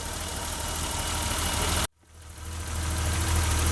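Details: 1988 BMW 325i brought back after six years sitting, running on a newly installed fuel pump (the old one had locked up) and a new battery. It warms up at a quiet, steady, even idle with one brief dropout, no knocks or misses. Normal idle.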